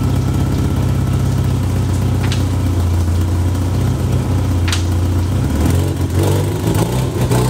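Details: 1991 Honda Civic Si, test pipe and resonator, no rear exhaust section, low-rpm bogging: loud, open, low-pitched idle that sags and stumbles; root cause found to be a faulty fuel pressure regulator.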